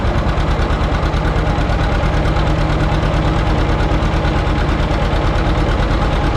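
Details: John Deere 530 two-cylinder tractor, started: slow, even, loud put-put of about three beats a second, steady and clean with no extra knocks; healthy normal idle.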